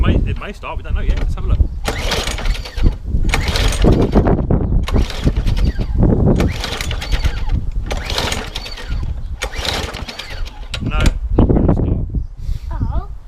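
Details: Briggs and Stratton lawnmower, fuel present and primed, not starting after pull cord was replaced: rope yanked about every two seconds spins the engine briefly with no firing; cranks but won't start, later tested for spark.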